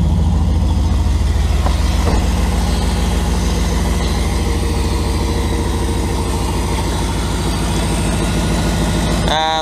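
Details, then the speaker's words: Turbo 5.2L Dodge Ram V8 at idle with newly built exhaust and new clutch, pipes not yet warm: lumpy idle with a fast, slightly uneven puffing tick; owners suspect a small leak at the bottom of a V-band clamp. "like it's leaking of the VV in there a little bit leaking off the bottom of the V ban there I think out of that one"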